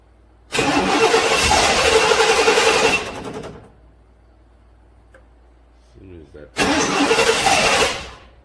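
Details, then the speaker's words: 1997 GM truck (Chevy Silverado) 5.7 Vortec 350 V8, cold no-start, towed in (starts when block heaters warm it): quick, even cranking in two bursts, about four compressions a second, never catching; low fuel pressure, failing fuel pump suspected, regulator not ruled out. "seems like the pump can't keep up"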